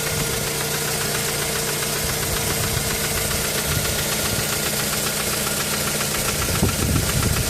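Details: Mazda 3 knocking that began after changing spark plugs, with a misfire when stationary: uneven idle, irregular knock three to four a second and a stumbling beat; cause unknown.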